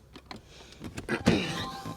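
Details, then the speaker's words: 2014 Kia Sorento passenger door locks: quiet cabin, then one firm quick clunk as locks throw with good power; unlike the driver door, whose actuator is suspected weak. "the other doors they will lock so if I hit lock see it's got good power it shuts"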